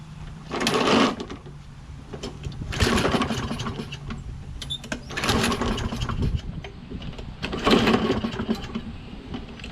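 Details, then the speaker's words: Toro Recycler mower, Kohler XT675, cold with choke closed and starting fluid added: engine surges and sags in uneven bursts, never settling; runs rough and starts hard, owner suspects low spark from the magneto, which he then swaps. "but if it's getting low spark it'll have difficulty starting like it's doing now"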